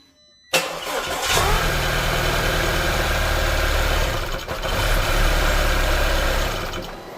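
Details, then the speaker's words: Audi A4 2.0L turbo, first start after big repairs, no coolant in the engine: quick crank, catches and runs evenly about six seconds, then the ECU shuts it off automatically for low-coolant protection. "The ECU turned the engine off right away automatically because there's no coolant. It detects no coolant, so it's gonna telling me that it's low on coolant, so it shuts the whole engine off for the safety."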